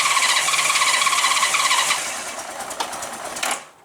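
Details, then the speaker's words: Honda GL1500 Goldwing after carburetor clean and accelerator pump repair, cold start at about 32°F, ice on windows, without choke; high uneven note for a few seconds then sags and dies; cold start needing choke. "doesn't like it without the choke it's too cold give it some choke here give it the gas a little bit it needed more choke than that"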